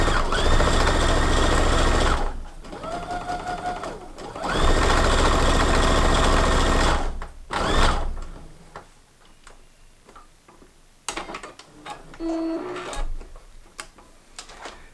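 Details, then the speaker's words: Sewing machine before a professional service: fast mechanical chatter in short sewing bursts with a loose, clunky rattle; stitches are fine but the bobbin sounds a little loose and rattles; owner suspects it dislikes thick fabric. "Just kind of sounds like the bobbin's a little loose and it just kind of rattles a little bit and, you know, and sewing it probably doesn't like thick fabric too much, like going over really thick parts."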